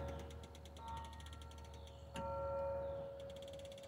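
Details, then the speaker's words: Roof-mounted rear center seat belt in a 2018 Nissan Murano: a quick, even run of light ratchet clicks as the belt winds back after full extension. The automatic locking retractor is engaged and working normally. "when you hear clicking you know it's locked and there's nothing i can do to unlock it at this point yet"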